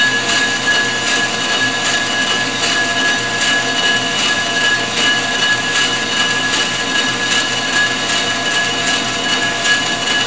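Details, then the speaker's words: Ford 460 flywheel being faced on a G0776 lathe: a steady high-pitched ring over the cutting hiss, tool chatter that worsens farther out toward the outer edge. "once it's a higher pitch green now we're further out we're ringing the bell"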